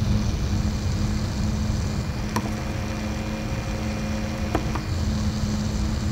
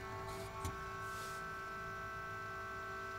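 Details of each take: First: APC Back-UPS 1600VA 900W (BX1600MI) after replacing its loud stock ADDA fan with a Noctua NF-A6x25: low, steady airflow rumble with a faint even hum, much quieter than the original fan; normal quiet fan operation. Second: APC Back-UPS 1600VA (BX1600MI) small cooling fan: steady, annoying tonal vibration hum with several fixed pitches over a soft whoosh, heard while comparing fans during replacement of the stock ADDA fan with a Noctua NF-A6x25.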